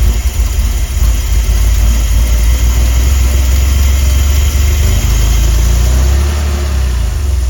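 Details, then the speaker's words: DeLorean DMC-12 with Bosch K-Jetronic fuel injection, progressively worse starting, cold idle; low deep idle surges and sags, nearly stalls and recovers repeatedly, improving as it warms: hunting cold idle from sticking sensor plate. "and then a recovery. This oscillation of almost stalling will continue to repeat in a cycle, slowly improving as the engine comes to temperature."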